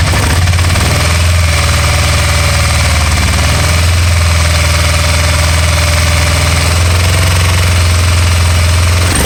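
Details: 2012 Can-Am Spyder RT-L 990 twin at idle: loud thumping with an irregular, stumbling beat and occasional skipped pulses; misfire of unknown cause that later cleared on its own.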